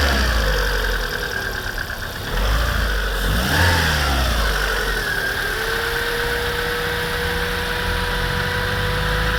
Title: Посторонний стук в моторе 21126...